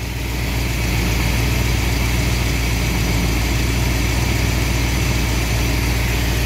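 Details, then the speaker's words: Engine idling at about 900 rpm after timing set to 18° initial advance with good vacuum: firm, even idle with a steady low beat and no ticks or stumbles; running properly. "that's 18 so we're we're good on our vacuum we're good on our RPMs the engine sounds good"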